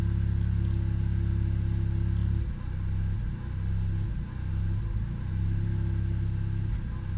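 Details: Car that also jerks under load and hard acceleration idles steady for two seconds, then breaks into uneven dips and stumbles that come and go; misfire at idle, cause unknown.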